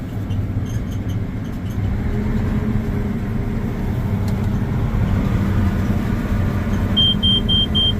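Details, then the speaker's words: Combine cab, machine run outside at idle: steady low rumble, then four quick high beeps, the chopper speed warning because the chopper is in high speed with the corn head fitted. "Chopper speed problem because we got the cord head on I got it in high speed"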